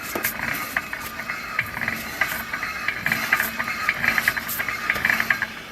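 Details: 2003 Mini Cooper that stopped driving, with both front wheels raised and in gear: turning a wheel by hand brings quick, uneven ratchet-like metallic clicks from the driveline. The outer CV joint turns while the inner one doesn't; cause still under investigation.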